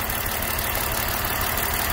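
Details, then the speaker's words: BMW E39 530i Touring at idle with code P1343: an uneven, lumpy idle with an irregular stumble. After the faulty coil was swapped from cylinder 1 to 2, the misfire followed it to cylinder 2 (smooth-running value near 10), confirming a failed ignition coil. "so I believe we have a 40 coil I hope you can hear the engine misfiring so it's misfiring on cylinder 2"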